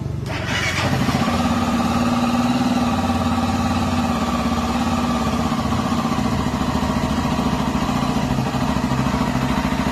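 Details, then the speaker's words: Honda XRE motorcycle brought in for an engine noise: it fires up and settles to a steady idle with a busy mechanical chatter over the exhaust. Engine noise, source not yet identified. "fala pessoal estamos aqui essa XRE proprietário trouxe ela aqui para a gente jogar esse barulhinho do motor dela aqui depois a gente volta mostrando o que foi Olha aí pessoal a XRE que tá com barulho"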